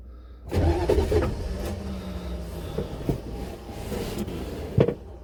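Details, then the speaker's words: Buick Electra 5.7 L diesel, cold start after a year sitting, with a blown head gasket, using a jump box and lots of ether on an unprimed fuel system; labored uneven cranking with weak bursts that never catches; owner suspects the starter or its shim. "oh ah hey well i'm not having a whole lot of luck here hopefully it'll catch"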